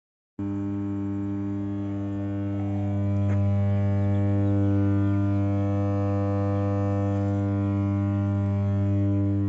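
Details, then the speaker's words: Transformer feeding two feeders at light load, under about two megawatts: loud, steady low hum with a buzzy edge; cause of the excessive noise unknown. "এত অল্প লোডে কেন এরকম শব্দ হচ্ছে? আসলে অতিরিক্ত শব্দ হওয়ার কারণটা কি?"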